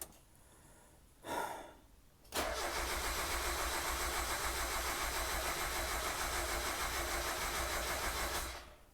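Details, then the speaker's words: 1990 Mazda Miata after top-end rebuild, firing order corrected to 3-2-1-4: even cranking at about three and a half beats a second, smoother, but never catches. Plugs pulled after an earlier attempt had never fired. "uh it's a lot smoother i think so first things first i tried to start this car and it cranked but it wouldn't turn over"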